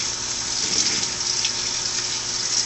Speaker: When it rinses, it sprays water, then it'll spin it, spray more water, and then it'll spin